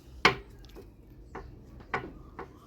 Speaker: know if you can hear that, but that's a little bit of play there. So the head bearings are going to need changing.